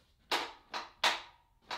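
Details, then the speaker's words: 1991 Dodge Dakota 4x4 Club Cab, 5.2L 318 V8, key turned in cab: four sharp clicks about every half second with no cranking; starter solenoid engaging but motor not turning, intermittent no-start, starter being replaced. "there's the clicking sound. So that was happening to me a lot. Sometimes it would start, sometimes it wouldn't, but at the end of the day, what that clicking sound is, it's the solenoid on the starter activating,"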